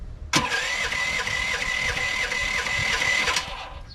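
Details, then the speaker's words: LS15R mini excavator small engine during tri-fuel conversion: with the gasoline shut off, it runs steady and busy for about three seconds, then cuts out abruptly as the carburetor runs dry. "Uh, no more gasoline in the carburetor."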